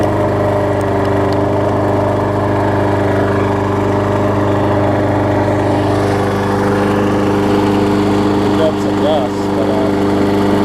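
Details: Murray 20-inch mower's six-horsepower Quantum-type Briggs & Stratton engine, transplanted onto a Craftsman deck with blade fitted, holds a steady, even drone at constant speed throughout, no misses, surging or knocking; runs good.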